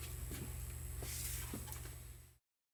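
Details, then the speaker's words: Seeburg SMC jukebox mechanism motor: steady low hum with a few light mechanical taps, running evenly. "we'll just turn it on and see how the motor runs. You can hear humming."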